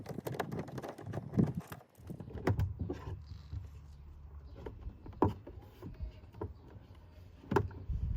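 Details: Audi Q7 rear door: irregular hollow knocks every second or two over a quiet cabin hum, something loose knocking inside the rear door, source unknown and needing to be addressed.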